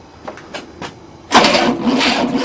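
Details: 1967 Cadillac, not run in 30 years, first try on a new starter motor: a few faint clicks, then starter cranks the engine steadily with no firing; cranks but won't start.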